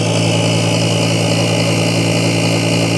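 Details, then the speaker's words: BoxMotor pulse motor on three coils, voltage raised, charge batteries at 12.05 V climbing: steady loud hum with strong low drone and even pulsing about two per second; coils resonating, running properly. "now that's got some push to it with three of those you can always tell when these are working you can hear them they resonate so when your coils are working you can hear them so that's running three coils"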